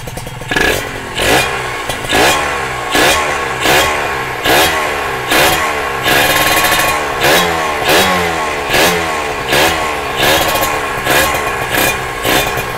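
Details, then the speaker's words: Kawasaki ZX150 two-stroke first start after rebuild, power valve fitted, no exhaust and no coolant yet: crisp, light, ringing snap with quick throttle blips about once a second, returning cleanly; healthy rebuilt engine running normally. "Tapi kalau kita dengar dia punya bunyi enjin ni kan, enjin dia ringan"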